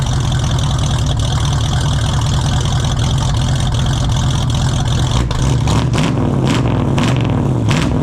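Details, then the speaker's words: 1968 Ford Mustang 302 V8 on its old open exhaust, before JBA tri-Y headers, X-pipe and dual exhaust install: loud lumpy roar, too high-pitched and obnoxious, crackling, popping and backfiring as revs fall, really poppy at high RPM. "It's too high pitched. It pops and backfires like crazy."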